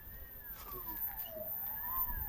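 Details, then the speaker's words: Crosser Cargo electric cargo vehicle, parking released, reduction gear engaged, throttle applied: motor whine rises and falls with throttle but it won't move; the reduction gear shift pin is misadjusted, protruding too far. "Снимаем с паркинга, газуем и слышим, что он воит мотор, но он с места не двигается."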